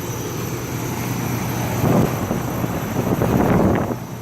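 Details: One of several central AC condensers/heat pumps (Goodman, Ruud, Janitrol, Coleman, 2-5 ton, 1999-2017) at a commercial property: a steady low hum with a thin high whine and swelling rumbles.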